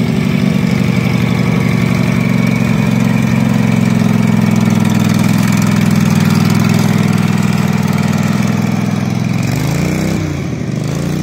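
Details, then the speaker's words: Husqvarna mower's 18hp Kawasaki V-twin revived after full pond submersion, water in oil and gas, float bowl drained, new gas with Sea Foam: steady even low drone with smooth firing on its own fuel, then shutdown; runs healthy. "it is the revival of the kawasaki 18 horse b-twin so apparently this is a really good motor if it was completely submerged under water watering the gas um watering the oil a lot of water in the oil and it fired right up and ran"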